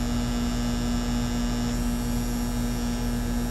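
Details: 2012 Carrier heat pump condenser that wasn't cooling, tenants reported buzzing (suspected contactor), restarted after contactor pulled in, drawing about 10 amps against roughly 16 RLA: steady, even hum with constant low tone, no knocks or rattles; normal running.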